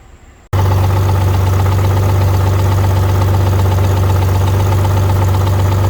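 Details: Completely rebuilt BMW E46 engine whose timing owner cannot set correctly: above 2000 rpm a loud drone with rough rhythmic knock about four beats a second, worsening with speed; cause not confirmed.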